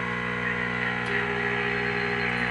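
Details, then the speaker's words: Restored EICO 315 RF generator with its internal audio modulator switched on: a faint, steady 400 Hz tone superimposed on the radio hum and hiss; the modulator works normally. "this generator also has a feature where it has an internal audio modulator and if I turn that on it's a little bit faint but I think you can hear is in a 400 H tone it's superimposed on that"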